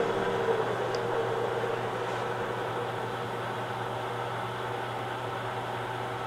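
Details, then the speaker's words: Home-built hobbing attachment, first test run without oil in bearings, speed raised slightly: steady, even hum with low drone and no knocks or catches; runs freely, normal smooth run. "doesn't seem like it's binding anywhere let's see"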